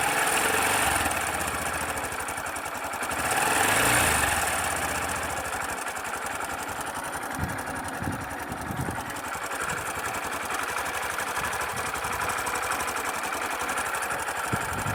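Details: Sundiro Honda CBF125T single-cylinder motorcycle at idle, recorded on a phone: fast, steady metallic ticking rattle about four a second, fairly loud but doesn't affect riding; owner suspects timing chain noise.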